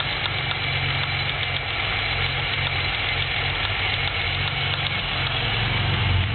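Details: 3.8 engine at idle, no misfires, no knock retard, no shavings in oil, 55 psi oil pressure: deep, uneven knock about every quarter second, started as a loud tick; turned out to be a spun rod bearing again.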